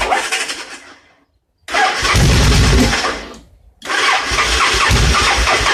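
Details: Victory V-twin motorcycle assembled from spare parts: fires and revs, then dies on the way back to idle, restarts and revs again; runs very lean, stalls returning to idle, though fuel pressure reads 60 psi; cause unknown.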